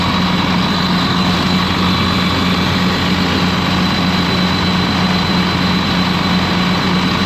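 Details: Ex-US Army Cat D6R bulldozer diesel, 822 hours, valve cover loose, injectors dropped: loud drone with an uneven, lumpy thump about once a second; running rough, cut-out test shows number 6 not reacting, cause unclear.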